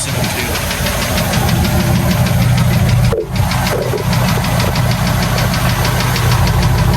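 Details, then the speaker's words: Neglected 1984 Ford F-250 351W V8 that had been very boggy and would not rev: now a deep, lumpy, even burble at idle through a loud exhaust, running on all eight cylinders. Normal idle. "now as youall may remember this truck was extremely boggy and would not Riv up well let's just listen to it for a second that 351 W running on all"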